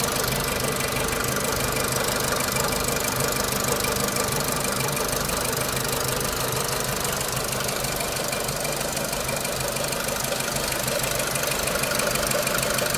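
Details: 2006 Renault Clio 3 1.4 16V, 174,000 km, 5W40 oil that the owner suspects is too thin, idling: fast, fairly regular light tapping about three per second over the hum; engine ticking, source not identified.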